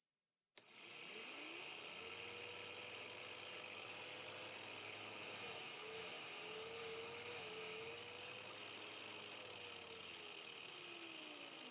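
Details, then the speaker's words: Normal motor run at higher speed on a DC motor driven through a 12-24V 30A LED strip PWM dimmer: steady mid-pitched hum wandering slightly with speed, the low-speed beeping and winding whine no longer audible. "Bei solchen Drehzahlen ist das Piepen schon nicht mehr zu hören."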